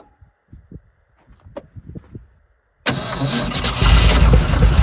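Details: Old Ford F100, first start attempt after correcting distributor rotor direction/firing order that caused backfiring: a few scattered taps, then catches at about three seconds and settles into a strong, steady, clean run; normal engine start.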